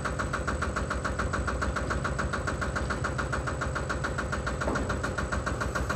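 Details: Single-cylinder Lister diesel on a Benford TS25 radial swing concrete buggy, recently repaired, fresh oil, low hours, new tires. Slow, steady thumping about 140 beats a minute, even and unhurried; healthy and ready for work.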